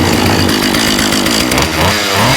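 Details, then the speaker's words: Husqvarna 36 chainsaw after fixing leaking fuel line, gummed carburetor and detached fuel pickup: crisp, steady two-stroke buzz with a good pop, no stumbling. Good compression, judged to need no tune. "Love the sound of some of these old Huskys. They're great. They just, you know, they got a great little sound. It's got a good little pop to it."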